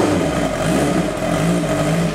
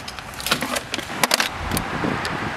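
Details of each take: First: 1986 Kawasaki GPZ 1000R warming up after replacing bad eBay ignition coils with used OEM coils: steady even note with light rev, no misfire stumble; normal running. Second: 1986 Kawasaki GPZ 1000R at operating temperature: starts, then idles lumpy and uneven, stumbles and shuts off past slight throttle; hot misfire blamed on bad aftermarket eBay ignition source coils.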